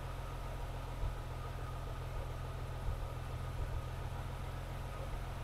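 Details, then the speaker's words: BMW E36 M3 with intake plenum just reinstalled, idling: steady idle with an occasional stumble and uneven low thump about every second; misfire at idle persists, possibly a small vacuum leak though smoke test showed none, scanner shows no added bank-two trim. "but you can still hear there's a Miss at idle could be a simple vacuum leak somewhere"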